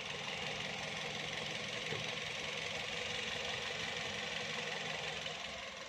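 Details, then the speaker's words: 2012 Toyota Vios (ex-taxi), idling: a hissy top end with an even beat, no miss or knock; the starter sounded a bit odd and the engine needs cleaning. Normal idle. "Kalau bagus saya bilang bagus, kalau jelek ya saya bilang jelek. Kalau suaranya masih bagus, halus, Anda dengarkan sendiri."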